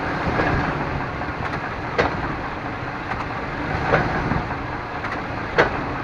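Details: 1998 Chevrolet Suburban K1500, 5.7L, 4L60E automatic, 177k miles, in 2WD at idle: dull clunk about every two seconds shifting between park and drive; owner also hears clicks driving uphill; cause unknown.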